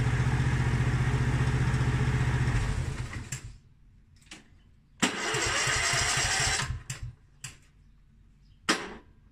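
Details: Mountfield SP536ES self-propelled mower, RM55 160cc engine, after service, new battery and drive belt: electric start catches at once into a steady, even low putter, stops and restarts cleanly. Normal running.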